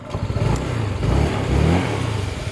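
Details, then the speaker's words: A Honda Click 150 with a 59mm MTRT steel-bore setup, in break-in and on its final road test, gives a low, steady, quiet thrum with light revs and no knocks. It started on one click with no check-engine light: normal running. "Tahimik naman."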